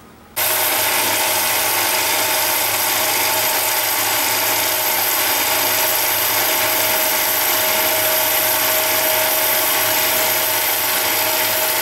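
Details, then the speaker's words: Mini lathe turning brass rod with a high-speed steel insert: steady high-pitched hiss and whirr of an even, light cut, no chatter or squeal, leaving a nice finish; cutting cleanly. "oh let me show you the video on tuning or turning the brass first so here's the brass"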